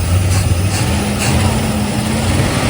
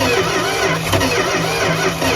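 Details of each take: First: 1971 Plymouth Fury Grand with a 360 LA V8, abandoned 20+ years, first start after unseizing the carburetor and priming the mechanical fuel pump: a low, steady rumble with an even beat and no knocking. It idles decently. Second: 1971 Plymouth Fury, 360 LA V8, abandoned 20+ years with a seized carburetor, spark confirmed, timing not verified: steady churning turnover with no firing; cranks but won't start; owner suspects plugs wet with Marvel Mystery Oil or valves hanging open.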